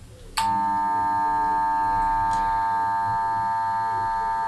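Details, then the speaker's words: Guinard Dorinoxmatic pump in 2.5 m well, pump body and pipe filled with water, after RESET from fault: motor runs with steady high hum that never builds; pump fails to prime. "mais là ça se remet pas en route je restis encore voyez je sais pas si on entend bien mais enfin il y a rien qui se passe il y a rien qui s'amorce"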